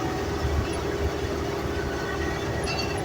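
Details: Mercedes-Benz 709 truck while driving, steady low drone with a faint constant mid-pitch hum under road rumble; the rear differential is suspected to be noisy, not confirmed.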